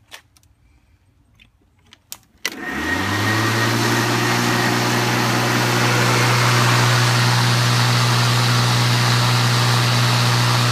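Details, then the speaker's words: Cub Cadet electric mower converted from lead-acid to LiPo batteries, sound meter a foot away reading about 112 dB max (ambient 40–50 dB): clicks, motor spins up to smooth steady hum with even whine; normal running. "there's about 112 decibels max not I mean it's okay you can hear yourself speak when you're using the thing but it's a bit noisy but not as noisy as a lot more would be"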